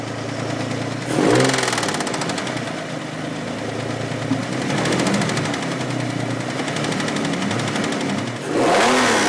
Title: Infiniti G35 2004 Engine Knocking or Timing Chain Tensioner tapping_??